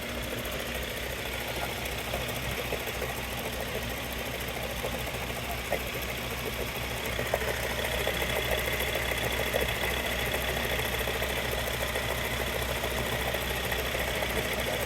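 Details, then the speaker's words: Mahindra Scorpio idling with an uneven rattling knock from the gearbox; mechanic identifies a failed gearbox bearing, gearbox to be removed. "या gear का आवाज है बरिंग बरिंग का"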